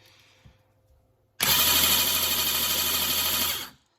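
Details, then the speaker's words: Replacement eBay starter motor for 1984 Honda CBX750, bench-tested, Bendix gear shaft visibly loose, sometimes squeals: spins about two seconds with even high whir and low drone, no faster than original; suspected slow, possibly defective. "So the new one is not spinning any faster, so kind of hard to tell whether or not that's the way that it's supposed to be for as far as rotation speed goes, but I would suggest not. It's a little slow,"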